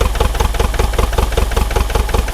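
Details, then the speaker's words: Neglected, frozen Bobcat T595 skid steer diesel, cold after glow-plug warm-up: lumpy, uneven chugging about ten beats a second with missing or weak beats and smoke, running on only 1–3 cylinders; misfire, cause not confirmed. "She's chugging, but it's smoking. We really shouldn't see any smoke coming out of it, but it's only running on 1 or 2 cylinders at the moment."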